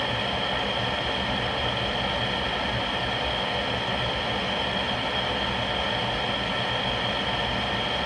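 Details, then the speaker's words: Rheem (GE-branded) power vent water heater with a newly replaced vent blower assembly, running through a burn cycle with the burner lit: smooth, steady whoosh with an even hum the whole run, no rattle or grinding; healthy after repair. "so that sounded good the whole time it was running this definitely solved my problem"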